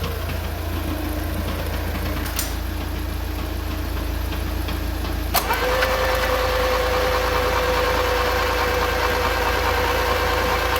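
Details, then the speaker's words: Mk2 VW Golf revived after about 20 years off the road: labouring crank of about five seconds before catching and settling to idle; fuel escaping from a leak down low made it hard to turn over and start. "Yeah, so obviously all the fuel was escaping in down here, and that is why the backing thing was so hard to turn over."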